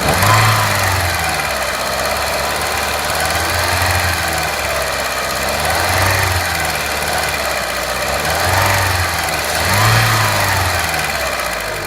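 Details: Renault Clio 3 1.4 16V at idle; dull knock swelling every couple of seconds over a rough hum, source unclear; engine knocking noise.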